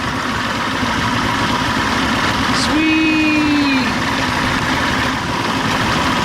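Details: Old two-stroke outboard with a past stalling and bogging problem, just after a new fuel pump was fitted. Started with the primer held in, in just two pops, it idles with a buzzy note at about four beats a second, holding even without stumbling or dying.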